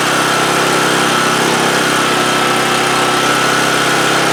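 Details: 2008 Homelite GC1800A 1800 W generator, cold start on full choke after pilot jet opened up (previously ran best on half choke): small single-cylinder runs steady and even, no misses or surging; later runs fine choke open for 10 minutes.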